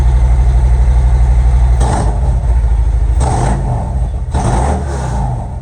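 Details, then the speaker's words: Harley-Davidson M8 Ultra Limited just after changing spark plugs (R10) and plug wires, first start checking for leaks: deep, lumpy V-twin idle at about four pulses a second with a few throttle blips, even firing; normal idle. "now I'm just going to start it make sure it starts you know what I mean make sure I don't have no leak so far so good might not be able to hear me good sounds good"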